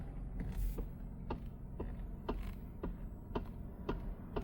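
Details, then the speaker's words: 2012–2016 Toyota Camry: sharp creaky clicks about every half second while turning the steering wheel, over a quiet background; worn steering column coupling disc (steering coupler), which is then replaced. "Si tu Toyota Cambri hace este ruido cuando das vuelta al volante."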